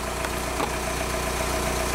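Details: Comparison VW Jetta, a different car from the 98/99 Golf being diagnosed for P1248 start-of-injection timing deviation, recorded from underneath: smooth, even diesel idle with steady low clatter and no misfire or uneven beat; a good reference engine.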